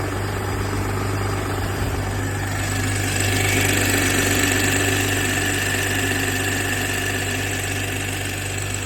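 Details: BMW G20 M340i, B58TU petrol, 42k on the clock, idling on cold start: light metallic ticking about four a second over a steady hum, lasting only about 1 minute before sounding normal; owner asks if normal.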